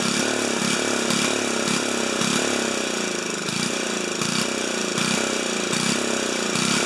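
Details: 4HP horizontal Briggs & Stratton single, muffler screwed back in at 45 degrees on broken studs for testing: it thumps along at a steady regular rhythm with a bright exhaust bark and no skips. Running cleanly.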